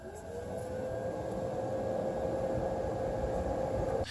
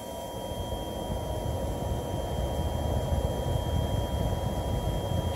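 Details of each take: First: GeForce2 GTS 64MB graphics card fan: low steady hum around 500 Hz, barely audible over the other case fans; quiet and healthy. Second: One downside if you want to own the first Radeon as it was originally released with its classic heatsink and fan is the noise. I have two cards like this and both are almost unbearably whiney.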